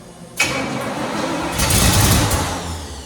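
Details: 1968 Firebird, sitting about 42 years, first start attempts: starter engages, engine catches and rises briefly, then stalls within three seconds; owner suspects ignition, cause unconfirmed.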